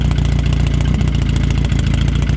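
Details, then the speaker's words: Engine with bigger inlet valves, exhaust out the bonnet, quiet pipe fitted: lumpy but regular exhaust pulses at steady idle, slight cam chop, no misses or mechanical noise; normal idle. "it's so cool and rich and i have done like a couple of road trips back and forth to like car shows in it it sits at 70 miles an hour so comfortably"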